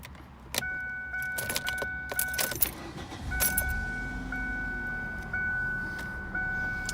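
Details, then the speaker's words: 2003 Ford Focus ZX3 with 181,000 miles: keys jingle and a door chime pings, then the engine catches quickly and settles into a smooth, even idle without misses; runs super well. "hundred eighty one thousand miles dandy just runs super well"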